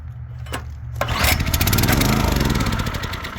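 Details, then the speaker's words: 2022 Oregon 3000 log splitter, 6.5HP Kohler single-cylinder, warm, fuel on, choke off, before the fix: it fires, sputters unevenly for a second and shuts down; the faulty low-oil sensor is cutting the engine. "fires sputters for a second shuts down"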